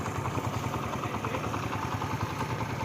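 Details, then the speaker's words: Honda CD 70 motorcycle idling after a new timing chain kit was fitted to cure excess engine noise: a steady single-cylinder chug with only a light, even patter and no loud ticking. The extra noise is gone. Normal idle. "यहां से पहले बहुत ज्यादा इसकी आवाज आ रही थी और अभी जो है काफी खत्म खत्म हो चुकी है एक्स्ट्रा जो इसकी आवाज थी ना इंजन में वो अल्हम्दुलिल्लाह खत्म हो चुकी है।"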